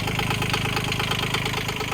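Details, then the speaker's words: Digger diesel just after a 1,000-hour service, fuel filter bled of air, fresh engine oil: fast, even clatter at a steady idle with no misses or heavy knocks; running healthy. "So that's the service done. Engine's running, fired up straight off the key."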